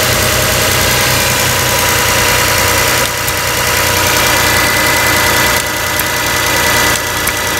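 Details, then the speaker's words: 2002–2006 Toyota Camry 3.0 L V6 idling with the PCV valve pulled out: even idle with light, quick clicking as the valve flutters under vacuum; normal PCV valve operation. "I definitely feel vacuum. You can actually even hear the valve clicking."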